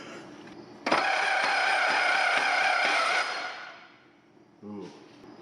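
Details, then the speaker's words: 1950 Chevrolet with stuck inline six, 6-volt starter run on 12 volts: harsh high-pitched grinding whir while cranking, about 3.5 catches a second. Suspected cracked bell housing, bad starter, overvoltage or damaged ring gear teeth. "So, I'm wondering if it's the bell housing being cracked, the starter being bad, the 6VT starter being on 12 volts, or maybe a combination of all the above. But that starter is not happy."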